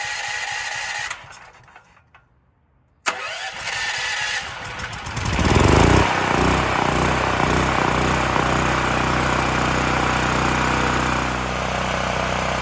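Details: Extreme Contractor Series 6,500 W (8,500 W surge) gas generator, bought almost 20 years ago and long stored, after revival and a bolt tightened: brief silence, then catches and settles in seconds into a steady, even run with no misses or knocks.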